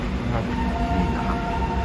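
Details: Xerox WorkCentre 7835 colour copier, long unserviced, waste toner container full so the waste toner pipe is clogged: loud steady mechanical rumble with a thin whirring tone on top, no rhythm, machine labouring and noisy.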